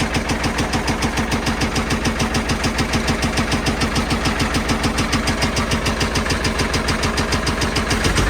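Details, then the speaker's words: Old Caterpillar 977L track loader diesel started on lots of ether: heavy, uneven thuds about three a second with chuffing pops; backfiring and running rough, sounds like it's going to come apart, though oil pressure is said to be good. "you want backfire man it just sounds like it's going to come apart"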